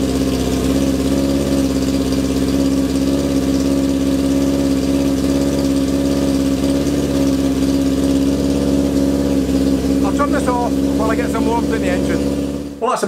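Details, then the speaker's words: 1978 Kawasaki KZ650 C four-cylinder motorcycle warming up after first start in at least five years: steady, even idle with loud, throaty exhaust, holding speed smoothly; runs fine, just noisy. "um if i could criticize it this is one noisy motorcycle"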